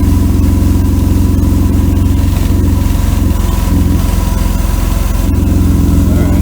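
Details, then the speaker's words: 1992 Mercedes W124 300E, low on fuel, at idle. Loud, deep, lawnmower-like flat puttering from a damaged exhaust pipe section; the muffler and resonator are okay and an old beer-can patch is not leaking. Exhaust leak; needs a new pipe section. "Needs a new exhaust pipe. Yeah, it needs a new section from up here down about right there."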